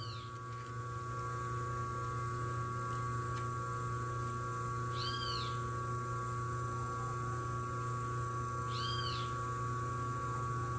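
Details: 127 V washing-machine motor on its original run capacitor, drawing 2.6 A against its 2.7 A rating: a steady, even mains-frequency hum with a clean tone and no growl. The motor is running smoothly.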